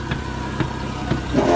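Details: 1975 Ford F-250 camper special, most non-body parts replaced, at idle: low, steady idle with an even soft pulse about twice a second and no knocks or misses; runs smoothly.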